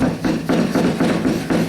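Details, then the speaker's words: 1947 John Deere A tractor, engine off, flywheel rocked by hand: hollow clunk every quarter to half second as the crank shifts; bad main bearing on that side. "That's a bad main bearing on this side."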